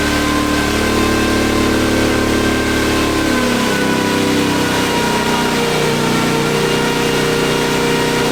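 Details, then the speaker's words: Off-road wrecker V8 on a stopgap exhaust, warming up with no load: smooth rise and fall through light throttle blips with no stumble. Reversed sensor wiring that gave a bad RPM signal has been corrected, all cylinders are firing. "So give it small revs and it'll start tuning outside of this little band it's on right now. I think we're firing on all of them now."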